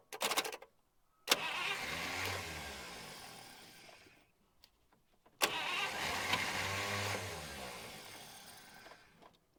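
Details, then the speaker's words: 1951 Buick Super straight-eight, sitting about 25 years: two long even cranking bursts of about three seconds each that never catch; no fuel reaching the carburetor, so an electric fuel pump is to be hooked up directly. "we're not getting fuel we're gonna have to hook up the uh electric fuel pump and uh go directly to the carburetor"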